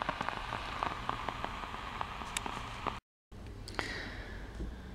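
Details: LM1875 amplifier IC, defective batch with JM5 marking: irregular crackling pops and clicks over faint hiss, unchanged as supply voltage is raised or lowered; popcorn noise from defective chip.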